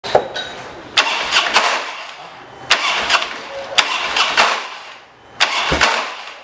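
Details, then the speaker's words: Harley-Davidson Dyna: several harsh, rattling clashes, about four in seven seconds, on each start attempt, as if it's coming apart inside. Starter clash from a worn compensator. "um problema na hora da partida aquele barulho que parece que está desmontando tudo parece estar treinando tudo por dentro ele é proveniente dessa peça que a parti"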